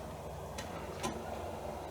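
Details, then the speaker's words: Restored Amiga 600 with a serviced Matsumi floppy drive loading the game Gods: a quiet low hum with a couple of soft, crisp head ticks and no grinding or chatter. The drive is notably quiet and healthy. "One thing I've noticed, guys, is that drive in this Amiga, that Matsumi, is really quiet, to the point where I might have to steal it and put it in my 1200."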